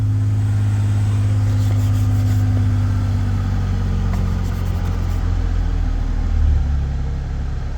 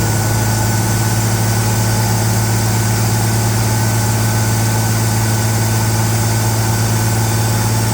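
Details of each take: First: Ford Bronco under restoration, first start after sitting a long while, fresh gas with B12 added: deep even rumble settling into a steady idle with no lifter tap, ticks or stumbles; normal idle. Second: Ford Bronco after radiator hose and fuel line work, warming up: steady fast idle with constant deep drone and no dips; the elevated cold idle came down on its own but still seems a little high.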